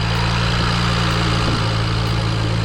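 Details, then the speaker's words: BMW E92 335i N54 twin-turbo six, first start after replacing a faulty injector that caused rough running and limp mode: deep, steady, smooth engine note with no miss, revving to limiter, only mild wastegate rattle left, engine not yet warmed; normal running. "Holy mother of God. It's running smooth. That sounds like a different car."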